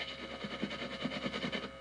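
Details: Bare guitar wiring leads plugged into an amp, not connected to any component: rubbing or picking up the wires gives faint irregular scratchy crackles over the amp hiss. This is the triboelectric effect, which can be mistaken for a scratchy pot.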